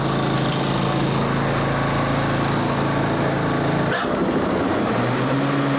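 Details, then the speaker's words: 30-inch twin-blade Toro Timemaster mower in for maintenance, blade clutch engaged: steady, even engine drone with loud blade whirr and brief dip; runs smoothly and healthy. "wow those blades are loud yeah very loud"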